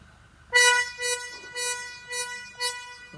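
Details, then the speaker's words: Toyota Innova Reborn horn sounding thin and nasal like a bleating goat in short bursts; only one of the pair sounds because one horn's connector came off, fixed by reconnecting it. "benar kaksonnya seperti suara anak kambing Tolong klaksonkan Mas ternyata yang berbunyi ini yang satu ini seperti ini kondisinya pooketnya lepas satu"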